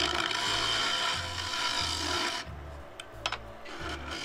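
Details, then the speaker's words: Wood lathe turning a claret ash bowl: the gouge makes a rough rasping scrape with an uneven buzzing judder. This is chatter from the tool vibrating on the tool rest with too little downward pressure. "hear a little bit of vibration there of my tool on the tool rest as I was coming through I wasn't applying enough downward pressure and yeah that's the result"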